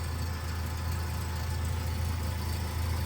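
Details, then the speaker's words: BMW E30 Touring with an M44B19 swap, restarted right after sealing the gasketless exhaust joint with Bardahl exhaust paste: low, steady idle with an even pulse and no puffing at the joint; the exhaust no longer leaks. "Allez, on teste. Ça ne fuit plus. Incroyable."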